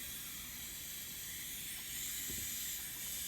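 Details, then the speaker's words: Diverter (blow-off) valve bench-tested in both install directions at 30 psi supply: steady high-pitched air hiss as the diaphragm opens almost instantly, reaching only about 5 psi on the output side; the valve leaks and won't hold pressure. "array we will not actually hold pressure even if I blocked this side off it's"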